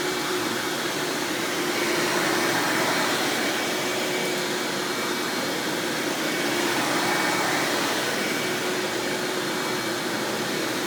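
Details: 1997 Hoover Dirt Finder Power Drive self-propelled upright vacuum, model U6331-930, Elite style, running: even, steady motor rush with faint constant whine, no rattles or surging; exceptionally smooth, surprisingly quiet, normal running.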